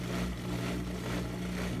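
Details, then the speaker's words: Front-load washing machine after drain pump work, spinning up: quiet, even motor hum with no scraping, banging or grinding; normal spin. "picking up speed now now now look at her go you go baby"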